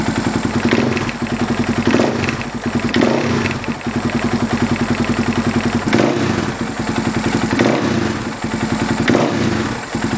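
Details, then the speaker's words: Husaberg FX450 dirt bike after fitting a Dirt Tricks timing chain tensioner: a single idles evenly with throttle blips, no knock or rattle. The earlier idle knock, worse when cold, is gone. "so let's fire it up and see how it sounds I don't know about you but I don't hear any noise"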